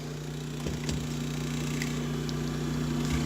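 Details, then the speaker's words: GE refrigerator noisy when running: quiet steady low hum with irregular light ticks and rattles from the condenser fan motor, which has lots of shaft play and wobbles; worn fan motor bearing, motor to be replaced. "Got a GE refrigerator, and the complaint is it's making a lot of noise when it's running, and as you can hear, it's the condenser fan motor. Looks like there's a lot of shaft play in the motor, and it will just start to wobble and make a lot of noise."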